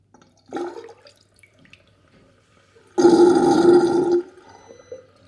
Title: Very interesting sinkdrain with gurgling sound